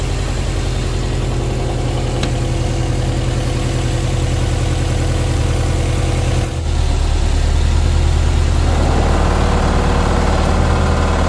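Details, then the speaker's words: Subaru engine running with heavy throbbing low drone and harsh vibration, steering wheel shaking and fluid coming out of the reservoir, from a faulty power steering pump after belt tensioner adjustment. "guys so that clip you just saw that the steering wheel is going crazy and somehow the fluids coming out of the reservoir here from the power steering pump is a faulty pump right here"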